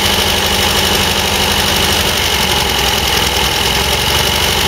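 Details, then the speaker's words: MGB twin-carburettor engine after carburettor overhaul, warming up: idle speed rising but lumpy, uneven beat; both carburettors running a bit lean during mixture tuning. "Obviously you can hear the idle speed coming up as the engine warms up, but it's lumpy. I'd say a bit lean at the moment."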